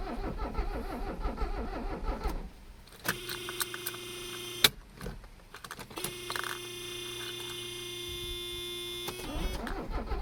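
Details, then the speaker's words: Abandoned Mercedes 300CD diesel on ether without air cleaner, glow plugs outrun, battery nearly dead: two spells of steady cranking with a droning whine and no catch; no-start, owner suspects low compression or air in the fuel lines. "Something's going on with her. It's obviously not air related. She's getting plenty of air, so she's probably just not making compression."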